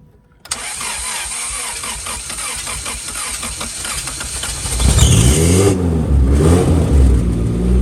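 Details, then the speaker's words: Honda Civic track car right after an engine swap replacing a blown engine, first start after fuel return line and battery fixed; cranks, catches cleanly, revs under throttle, then settles to a steady, even, crisp idle; normal start, sounds healthy. "Sounds like a healthy engine to me. Sounds healthy to me, baby. And it's idling healthy."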